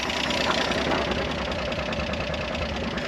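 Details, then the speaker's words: 1973 Jeep CJ5, off the road at least 16 years, engine idling with no brakes yet: irregular rattling chatter over the idle beat; noisy, owner suspects pilot bearing or throwout bearing. "We don't have brakes, but I would like to go ahead and see if this thing at least goes into gear and tries to move before we start messing with that. It does have a pretty noisy, sounds like maybe pilot bearing or throwout bearing."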